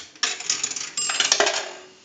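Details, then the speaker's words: Northern Electric 233QF three-slot payphone after repair and conversion; a nickel rings the bell once, one bright ring then the coin rattling into the cash box, normal coin signal bell. "one more dime bring the bell twice one last nickel and that will ring the bell once"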